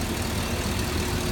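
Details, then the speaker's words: Stock 2006 Chevy LQ4 6.0L LS V8 from a cab-fire truck, mileage unknown but assumed mid. Warm idle is smooth and even with a steady low rumble and no knocks or misses, heard over a waste oil burner's hiss. A great running engine. "I don't even know if you can hear the engine over the waste oil burner in the background but it's a great running engine"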